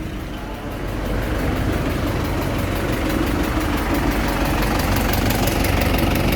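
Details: Isuzu 4JA1 diesel being worked on for hard starting: steady diesel clatter at idle, settling into an even rhythm with no stumbling or hunting, a normal idle.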